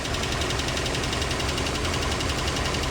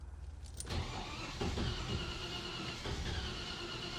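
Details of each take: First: Land Rover Series 2A four-cylinder on unleaded petrol after years on LPG, new fuel pump, just started with choke after possible flooding: busy even idle, steady tappet chatter, no missing beats; carb dripping; normal idle. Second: Land Rover Series 2A, first start attempt on unleaded petrol after years on LPG, new fuel pump fitted: starter churns steadily about four beats a second for six seconds, no catch; owner suspects flooding; extended cranking, no start.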